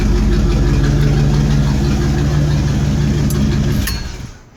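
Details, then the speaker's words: Corvette at startup before an exhaust replacement, with the existing non-stock exhaust missing one of its mufflers: loud, raw, deep idle with a coarse burble, then shutdown; exhaust leak from the detached muffler. "oh it's got a nice dirty sound but the sound is from it not having one of its mufflers anyway so"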